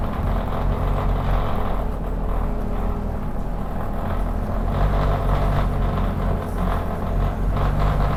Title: 2510 making a weird noise